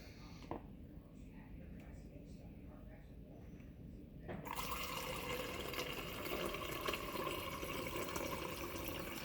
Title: Bosch fridge water dispenser making noise video for reddit post